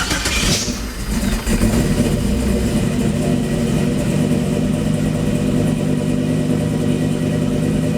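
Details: Car after refitting belt and battery wire, charging now reading about 14.4–14.69 volts: engine catches quickly and settles into an even, steady idle with no knocks, squeals or misses; runs healthy.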